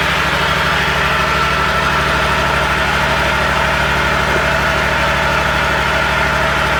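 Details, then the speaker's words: Exmark commercial zero-turn mower with a Kawasaki FX651V twin, started after an oil and filter change and run a few minutes to circulate oil: a steady, even idle with no misfires or rattles. The engine is healthy. "I'm just going to crank it up and let it run for a few minutes, let the oil circulate, and then I'll recheck it."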